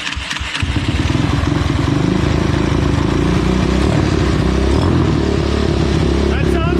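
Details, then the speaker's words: Tao Tao YFZ250 ATV first start after lost spark was restored, running a new spark plug whose gap is suspect: it catches into an uneven, lumpy chug with irregular firing and disliked throttle. The owner suspects the timing is still off. "Okay, so she runs, but the timing is definitely still off. Because I just hit the gas and it did not like that."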